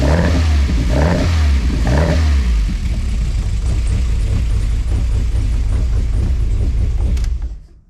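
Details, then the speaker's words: Project Zero 24 after fuel fix (tank cleaned, Holley drop-in pump replacing external pump/filter assembly), first start: engine catches, takes a few throttle blips, settles into smooth even running before shutdown; tentative success, no leaks. "I think I'm going to call that a tentative success."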